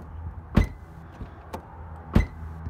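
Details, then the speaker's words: 2007 Nissan Xterra: brief high squeak from the driver's-side front after each door slam as the body flexes, also squeaks while driving; silent with hood open; cause found to be the rubber hood bumpers. "it squeaks when I'm driving and it's not very fun it's not a spring or anything it's something I believed enough to do with the hood hood latches or houd bushings"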